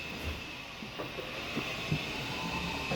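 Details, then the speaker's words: Yamaha G29 golf cart (about 2017–18), raised on a jack, pack around 40–41 V with several bad batteries: quiet, steady high whine with light clicking as wheels spin free; drive motor and controller work normally. "I think she'll work the batter is are junk but I think she'll move looks like the controller is just fine"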